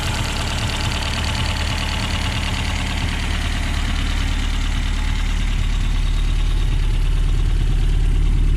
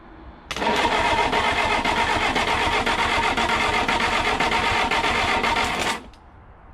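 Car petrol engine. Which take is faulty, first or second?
second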